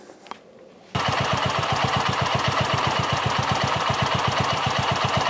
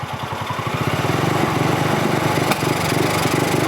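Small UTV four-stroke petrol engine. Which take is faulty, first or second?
second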